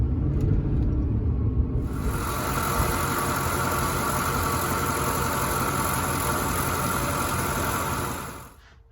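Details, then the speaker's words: Ford F-150 with the 5.4 3V engine while driving, after a dry rib idler pulley bearing was replaced and another repacked with grease: steady low engine rumble under road and wind noise; the power-steering-like whine is completely gone. "Proud to report, one replaced bearing, greased up the other one, and the power steering whine noise is 100% gone."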